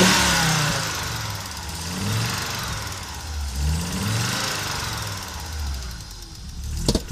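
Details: Audi Coupe after an NG-to-AAR engine swap: hard starting, many misfires, and it stalls while driving. Engine revved up and down unevenly, with stumbling, uneven beats through the rise. Misfiring, rough running; cause not pinned down.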